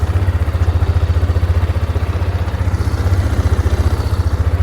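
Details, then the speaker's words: Bought-as-broken ATV just started after its switch was turned on, with the fuel pump working: a steady, even idle thrum with no knocks, ticks or misses, so the motor sounds healthy. "God, that motor sounds good too."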